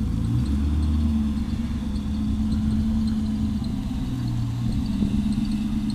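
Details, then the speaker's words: LM7 V8 swapped into a Volvo 240 wagon (MegaSquirt 2 management, Borg Warner 4-speed, Ford 8.8 LSD 3.08 gears), first time out of the shop under its own power after a 2.5-year build: deep, even V8 burble with a steady lopey pulse, no knocks or misses; healthy idle. "okay fair enough she sounds great sounds great"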